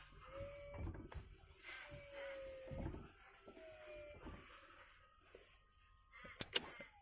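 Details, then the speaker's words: Mitsubishi Galant VR4 with an aftermarket electric power steering pump (Holden Astra unit), engine off: a soft electric whine rises in short, even bursts each time the wheel is turned, and it steers with one finger; normal operation. "I'll press that button and you can start to hear it you should be able to hear it sounds a bit like a jet that's it they're firing up takes takes about ten seconds"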